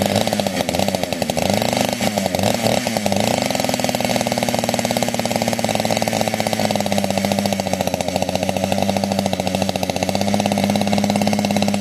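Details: Fully built 60cc chainsaw, tuned with ignition advance, started with no choke or high idle: crisp, fast two-stroke buzz settles into clean, steady high idle without stumbling; running smoothly, normal.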